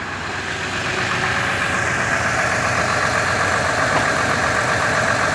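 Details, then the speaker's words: 1999 Ford F150 4.2L petrol V6 with codes P0340 and P0174: idle stuck above 1,000 rpm, running rough with a ragged, stumbling beat, truck shaking, faint exhaust backfire pops, and a raw fuel smell; misfire. "It is running rough. I'm not sure the camera can pick it up, but the engine is shaking. I do hear a little bit of backfiring."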